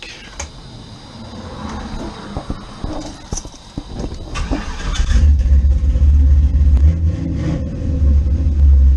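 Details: Blazer with a newly installed Gen 4 5.3 V8 with cam, replacing an old 5.3 with a cracked head: catches after a few rough turns, then a loud, steady, lopey rumble with no knock or tick. Normal idle.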